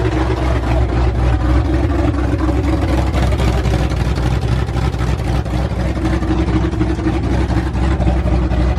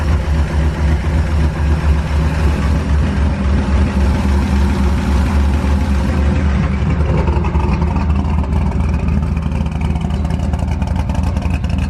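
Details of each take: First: Ford F100 V8 with new aluminum heads, first start on open headers without a cooling system: loud deep even rumble, no valvetrain ticking, everything sounded really good. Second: Ford F100 V8 with new aluminum heads on open headers: slight rapid tick riding on the rumble that quickens with revs; owner is pretty positive it is a valvetrain issue because it fluctuates, not confirmed.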